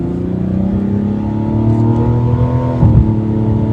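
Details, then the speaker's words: 2025 Mazda CX-70, 3.3 L turbo inline-6, 8-speed automatic, AWD, under normal moderate acceleration from about 30 mph: smooth climbing note, no whine or knock; whine and vibration occur only under hard acceleration. "sounds perfectly fine normal and actually sounds really good so it's only when you're hammering it that you"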